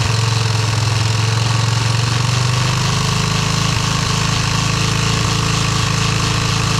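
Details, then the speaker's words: Yamaha restoration engine idling with brand-new carburetor and gasket just installed: loud idle with choppy, uneven beat and wandering pitch; rough idle, carb needs tuning. "going to have to find sh in that carb a little bit idle and kind of iy but it's [Music] running"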